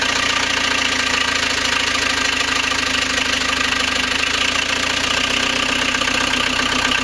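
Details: First start of rebuilt 1.9L AAZ turbodiesel swapped into 1986 VW Vanagon Syncro, after bleeding injectors, temporary glow plug power and cold-start cable pulled; steady, even diesel clatter at idle with hissy top end, no misses, idling cleanly.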